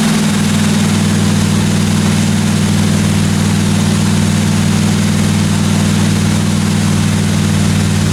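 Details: 1957 Chevy 210 project car at idle during its first-run camshaft break-in of about 20 minutes: loud, steady low rumble with an even beat and no top-end ticking or knocking; valve train sounds good, normal.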